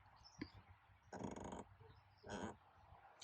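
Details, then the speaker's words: 2022 Ford Explorer ST, rear left cargo area: short creaky squeaks over small bumps and parking lot entrances, worsening over time; trim panel flexing from loose child seat LATCH anchor screws, fixed by tightening them. "whenever I'm driving around it makes a squeaking sound whenever I articulate over small bumps or go in in and out of uh entrances to a parking lot or something like that"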